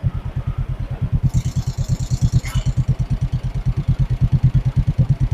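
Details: 1958 John Deere 420W, converted to 12 V with a new battery, first start after sitting abandoned over 35 years: a slow, steady, unbroken thump of about three pulses a second. A normal idle.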